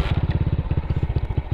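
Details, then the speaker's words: Old bike, at least a 2001 model, after clutch housing replacement: even, steady single-cylinder thump at about eight beats a second, no clatter or knock; healthy idle with no abnormal engine sound. "यह देखो भाई आप इसकी song सुन लो आपको यहां से कुछ भी ऐसी साइड इंजन की नहीं आई ही कि इंजन के अनुसार कोई किसी तरह की साइड है"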